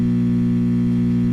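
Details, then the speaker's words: 1966 Fender Deluxe Reverb tube amp, warmed up, inputs tested: loud steady low buzzing hum, part of an intermittent hum that comes and goes, heard from unfiltered bias supply ripple caused by a broken capacitor joint. "Oh, wow. Okay, now it's humming. The inputs all make sound."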